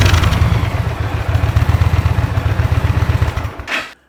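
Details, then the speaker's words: 2023 Indian Pursuit Elite V-twin on stock exhaust, before Tab Performance exhaust install: deep even thump at idle swelling smoothly with light throttle, no misses or rattles; healthy stock sound. "guys I'm gonna let it idle for a while so you can hear how the sewing machine sounds at idle with a little throttle"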